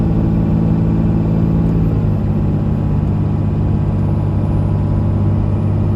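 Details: 2001 Dodge Ram 2500 4x4, 5.9 Cummins diesel, automatic, 90k miles, fully serviced, pulling uphill; a steady deep drone with one smooth shift near two seconds and no hesitation, slipping, flare or thump: normal engine and transmission under load.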